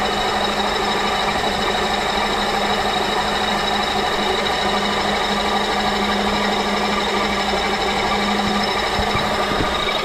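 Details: Honda K24 engine at idle: steady rough grinding at first thought to come from the top end, with no engine-timed knock; traced to the AC compressor by removing the belt and spinning the pulleys.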